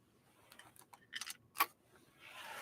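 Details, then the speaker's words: Free Westinghouse sewing machine, tipped during unboxing: scattered light clicks and taps from something small rolling loose inside the housing; source not yet identified. "I hear something rattling around in there. I'll find out what it is when I start to dig into this machine."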